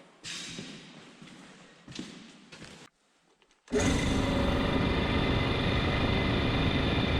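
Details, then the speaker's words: DIY 3 kW air compressor built from parts, 60 L tank: starts with a loud, steady motor drone and even pump chatter, filling the tank to test the pressure switch. "sehän Nousi se toimii siellä on melkein viis baaria minkäänlaisia vuotoja ei kuulu kokeillanpa vetää täyteen latinin katotaan toimiiko painekytkin"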